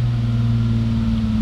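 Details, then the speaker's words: BMW E30 M3 Touring, running without radiator, after starter spray into airbox: loud even drone holding a raised, unchanging speed, idle far too high and very slow to drop; plugs, coils and injectors already checked. "So, wie man hört, der Wagen läuft. Stand, Leerlaufdrehzahl viel zu hoch. Dauert auch ewig, bis das Ding jetzt abtourt."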